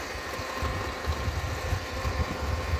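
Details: Car idling in neutral with an uneven, loose low rattle from the gearbox/clutch area. The noise disappears when the clutch pedal is pressed and returns when it is released, while the engine itself runs normally.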